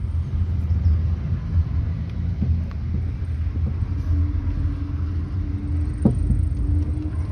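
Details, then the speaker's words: Jeep Renegade on a short test drive for a suspension noise: deep road rumble with a few hard single knocks over bumps, very loud; shock absorber then removed for analysis. "ó ó nossa senhora muito alto o barulho é muito alto cara precisa nem andar muito né"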